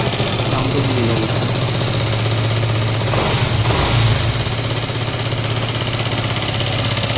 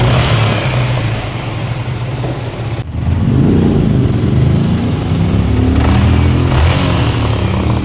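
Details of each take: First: Yamaha MT15 returned to dealer after poor garage engine work, idling before teardown; uneven tapping about four per second over rough idle; engine sounds bad, cause not yet pinned down. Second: Yamaha MT15 after engine rebuild with new block and piston, torque-wrenched and timing chain set; engine catches, settles into steady even beat, revs cleanly and returns without misses or knocks; running healthy.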